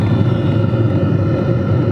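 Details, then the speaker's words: Two Track Nation Hot Box camper diesel heater, running after startup, mic close: even low whooshing hum with only very faint motor ticking, quieting as it runs; healthy, quiet operation. "the ticking is so faint and that's really going to be as absolutely loud as this thing gets and it actually quiets down the longer it runs"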